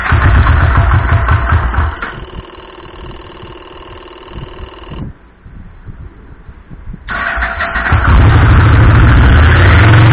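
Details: Carbureted 2007 Yamaha Vmax 1200 after fuel pump replacement, which was done for fuel starvation: the engine catches, stumbles briefly on choke, then settles into a steady even idle and picks up cleanly.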